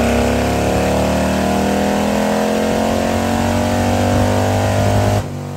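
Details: Custom 2020 Harley-Davidson Road Glide, 130-inch T-Man Performance Stage 4 V-twin, warmed up, dyno run. A loud, steady pull climbs evenly with no misses or knocks, then backs off. Result is 155 ft-lb of torque and almost 153 hp, 140 ft-lb at 2600 rpm. Healthy engine.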